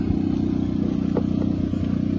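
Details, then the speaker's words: 2018 Freightliner Cascadia Detroit diesel, scanner compression test cranking: steady chug with a lopsided beat where one stroke drops out; cylinder 4 has no compression from tight (closed) valves, others fine. "definitivamente si nos damos cuenta el pistón el cilindro número cuatro no tiene nada de compresión de ahí los demás están bien"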